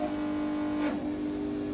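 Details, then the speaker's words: Roughly 20-year-old Snap-on 60 A battery charger, repaired, charging a car at about 10 A, 13 V: steady mid-pitched hum with a brief dip; the case vibrates, owner thinks washers on the case might fix it. "um i could fix the humming if i maybe put some washers on the case or"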